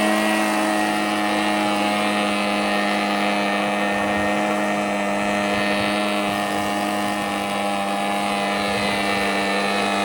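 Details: Husqvarna 130BT leaf blower two-stroke with aftermarket carburetor, no blower tubes or air filter fitted; steady even high buzz without stumbles or hunting, reaching full RPM unlike the earlier lean, bogging carb. Normal running.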